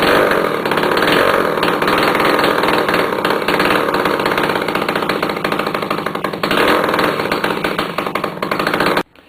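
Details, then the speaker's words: Yamaha CT175 two-stroke, first start in 35+ years after carb cleaning, points gapped, new plug, exhaust and air filter off, in neutral: loud, raw, rapid open-pipe crackle held for about nine seconds, then dies. "and I've taken off the exhaust bite so that's going to be noisy and all kinds of crazy"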